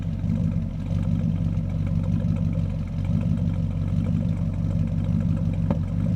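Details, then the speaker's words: 1959 Ford F100 with a 302 ci (5.0 L) V8, 650 cfm carburettor and C4 transmission: a lumpy, shaking idle with irregular bumps and occasional exhaust pops, a misfire. The bank temperatures differ. Backfire or detonation is suspected, cause unconfirmed. "But that's a rough idle. See how it's kind of shaking back and forth? That's not what should be going on. You can hear it in the sound, too. It's misfiring. And it makes a pop every once in a while."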